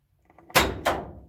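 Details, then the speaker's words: 1969 Pontiac Grand Prix, power trunk release via a switch inside: faint solenoid click, sharp latch pop and a thud as the lid opens; release works normally. "And then this car does have power trunk release, which I guess I left my light, obviously, under there. There's a little switch for it inside here, down there."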